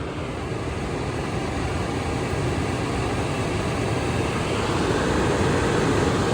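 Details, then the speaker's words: Furnace after blower motor replacement for a no-heat, burning-smell call, fan jumped R to G to check rotation: steady rushing air building slightly as the fan spins up, no grinding or knocking; blower running normally. "All right, so I'm going R to G because I want to make sure the fan's spinning the correct direction. All right, there she goes."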